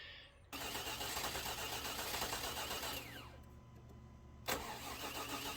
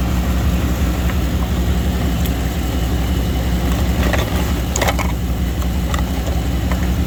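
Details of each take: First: 2000 Chevy Tahoe Limited, Vortec 350, sat under 12 inches of snow; starter cranks steadily but never catches, then it fires once after the key is released; crank-no-start from a crossfiring distributor cap. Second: 2000 Chevy Tahoe Limited Vortec 350 after replacing the corroded distributor cap that caused crossfire and no-start: low, even idle with a steady rumble and no misses, stumbles or knocks; normal idle.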